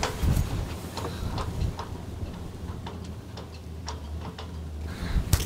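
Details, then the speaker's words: Diesel heater on an Etap 30 sailing boat, fuel lines now primed with diesel and the heater lit: soft, regular, light ticking over a low hum; the pump has quietened, normal fuel pump ticking. "the pump has quietened down quite a bit now that it's seemingly full of diesel"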